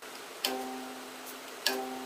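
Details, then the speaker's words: Delta 28-560 16" bandsaw after new tires and belt, blade tensioned as high as it will go for acrylic: two plucks ring a clear, deep, sustained guitar-string note; owner hopes it isn't too much; normal blade tension. "like a really deep guitar string I'm hoping that's not too much but we'll find out"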